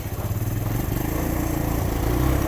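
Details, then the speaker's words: Suzuki GS 150 SE single-cylinder, morning cold start via self-start button: fires straight away and settles into quick even putter that builds slightly; clean healthy start, owner says it starts instantly even after 3 days. "सुबह में बेशक में 3 दिन बाद भी start करूं तो मुझे वो एकदम से पहले बटन के ऊपर जो सेल्फ का बटन है उसे पे फौरन स्टार्टिंग देता है"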